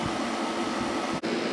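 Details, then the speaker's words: Kenmore (Whirlpool-made) 8000 BTU window air conditioner, no thermostat, single-speed fan, running about 10 minutes at 6.13 A / 680 W, putting out nice cold air; steady even hum of fan and compressor, no rattles or cycling surges: normal running. "WT SS real good putting out nice cold air there yep it's working great"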